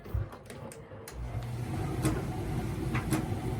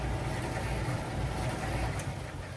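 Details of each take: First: Miele T8003 tumble dryer screeching: motor hum with irregular sharp scraping squeaks, typical of worn motor carbon brushes (part 4490382 or 5153702), fixed by replacing brushes held by Torx screws. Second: Miele T8003 dryer with an empty drum, brought in for a screeching complaint often caused by carbon brushes: a steady low hum with only a faint, even brush whisper. The slight screech is normal; the earlier noise came from laundry.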